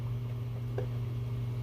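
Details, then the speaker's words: Hydronic heating system starting up: a few soft scattered clicks over a steady low pump hum as hot water enters and the tubing expands, which is normal. "I don't know if you guys can hear that. Hear that clicking? That's my tubing growing"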